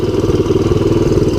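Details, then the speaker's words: 1983 Honda ATC200X single-cylinder three-wheeler after freeing the seized clutch and cleaning the flooding carburetor (jets, passages, float valve), idling in neutral: quick, even thump with no knocks or stumbles. Normal idle. "anyway we got this running again if it already to come out my guy said went right to neutral sit here idling I gotta tell you"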